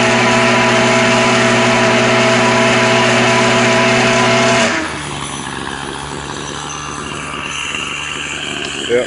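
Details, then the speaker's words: Troy-Bilt two-stroke string trimmer (25cc or 27cc) warmed up: steady high-pitched scream at full throttle for several seconds, then drops cleanly to a lower idle; normal running, no choking out once warm. "once you got it once you got it going and warmed up then you're good to go it won't choke out"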